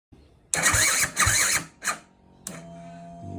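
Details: 2010 Husqvarna TE250, sluggish electric start, battery charged and ruled out: labored grinding bursts of cranking that stall and restart before engine barely catches; worn starter reduction gears slipping.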